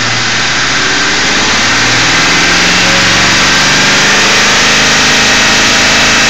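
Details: Ford 4.6 V8 idling with a steady, raspy buzz over an even engine pulse from a failed anti-drainback valve in a Prime Guard oil filter; a second filter of the same brand buzzed the same, and the owner had wondered about torque converter or transmission front pump.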